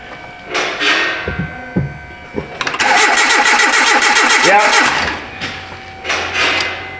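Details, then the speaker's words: 2010 Hyundai Accent, no-start again after starter and front O2 sensor replacement: steady cranking in short bursts, a couple of weak coughs, no catch. Spark checker shows no spark on that cylinder, others assumed the same; injector pulse doubted, no fuel smell. "All right. So, we have no spark on that cylinder. I'm going to assume the rest. Interesting that we had a couple events where it coughed on us, though."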